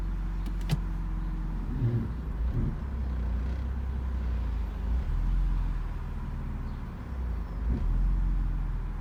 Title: E46 m54b30 rough idle at cold start